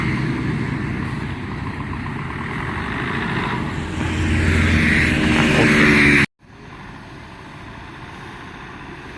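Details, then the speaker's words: Kubota L1-265 4WD tractor, 4-cylinder 26 hp diesel, shuttle gearbox, back from a test drive: a steady diesel drone under way with no gear whine or howl; the gearbox and rear final drive sound quiet and healthy. "กลับมาแล้วฟังแล้วนะครับเสียงเกรียนเสี่ยงทายผมว่านี่เงียบไม่หอนไม่ดังนะครับ"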